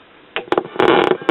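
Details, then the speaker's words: 1980 General Electric solid-state AM/FM radio, made in Singapore: irregular crackling bursts cut in and out over the audio as the knob turns; staticky dirty volume control, flaky band switch, to be opened and cleaned. "as you can hear the volume control is staticy and this band switch is flaky so let's open it up and clean it"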